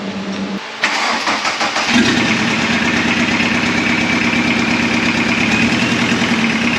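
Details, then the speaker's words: VW Caddy 1.6 turbo diesel swap: cranks, catches, rough idle with sharp metallic ping from two injectors not firing well (lack of fuel, probably aeration); injection pump believed okay, injectors to be rebuilt and pop tested. "It sounds good, it sounds healthy. That pinging noise you hear is just that diesel ping from those injectors not firing well, so it's just a lack of fuel, some aeration probably."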